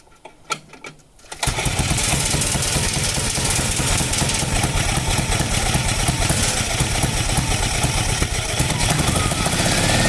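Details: 1949 Ransomes MG5 crawler tractor after correcting a rebuilt magneto fitted 180 degrees out of phase and adding new fuel: catches after a few quiet seconds, settles into a steady, even beat of about three per second, no misfire or knock.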